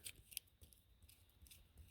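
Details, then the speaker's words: Upper grooved idler pulley removed from a Mercedes M272 engine (GLK350), spun by hand: dry, gritty scraping with uneven raspy bursts; worn idler pulley bearing grinding. "hopefully that's coming through the camera, but you can really hear the grinding of that bearing."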